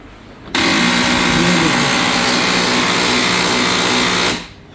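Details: HP LaserJet 3050 laser printer: a harsh, steady grinding rasp starts the instant it powers on, lasts about four seconds, then stops; diagnosed as a gear problem, said to be common on HP 1020/1018 laser printers.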